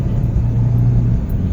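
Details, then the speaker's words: Hyundai Picanto on road test after throttle body cleaning, previously weak pull and misfire; engine reaching 4,000 RPM under load, steady deep drone with no misfire or hesitation, power restored, normal acceleration. "Ayun o. Oh, ha? Balik na yung takbo niya. Yun o, nagpo 4,000 RPM na."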